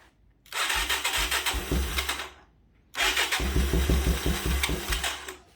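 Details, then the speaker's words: 1985 Yamaha YTM225DR Tri-Moto revived after 30 years, first runs after carb work for a sticking float, idle screw not yet adjusted. It catches, runs rough and uneven, dies, then restarts and stumbles. It won't hold idle. "What the hell? Huh. I'm gonna have to deal with this idle here."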